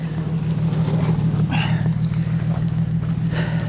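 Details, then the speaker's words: Car at a Copart lot, AC on, after a light rev: rough, lumpy idle with an uneven thump about three times a second, engine shaking on its mounts. Severe misfire. "oh hell no she is misfiring really really bad guys really bad"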